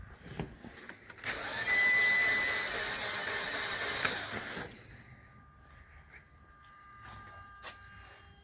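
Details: Mitsubishi Outlander, battery ruled out, camshafts spinning, injectors at 40ms pulse width, spark confirmed by scope: about three and a half seconds of even starter cranking with no firing; crank no start.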